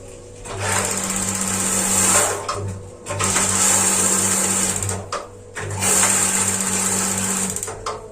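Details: Paloma gas water heater, simulated empty LPG cylinder with regulator removed: quick sharp igniter ticking in bursts, about four clicks a second, no burner roar; sparks but no gas reaching burner, no solenoid click heard.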